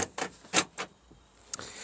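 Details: Seat Ibiza after door lock module replacement for a microswitch fault; with the interior lock button pressed from outside, sharp paired clicks a fraction of a second apart as the lock engages then immediately releases, so the door still opens; cause unknown.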